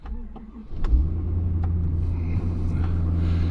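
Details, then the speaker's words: Ford Super Duty started by push button at about 0–1°F outside, with oil and coolant at 3°F: a brief crank, then it fires with virtually no delay and settles into a steady, deep, even rumble. Finding: normal cold start. "and just like that it fired right up i mean there was virtually no delay"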